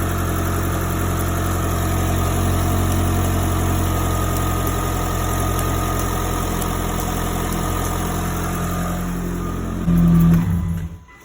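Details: 2006 Mitsubishi Eclipse GS idling with the PCV valve refitted in its hose and a finger over the port to feel vacuum and clicking: smooth, even idle, no misses or ticking, clean shut-off; PCV test passed, healthy engine.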